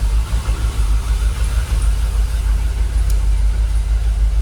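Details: Jaguar XKR idling about 800 rpm, fuel pressure holding 45 psi: steady, even low rumble with no misses, knocks or ticks; engine calmed down, much smoother, no longer rocking; normal idle.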